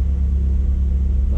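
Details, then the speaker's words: Mazdaspeed3 idling just after spark plug replacement; deep, steady idle rumble with no stumble, miss or tick, engine started right up and idles smoothly. "is nice and smooth so that's how you can know that everything was done properly so we just started up ran smooth idled smooth"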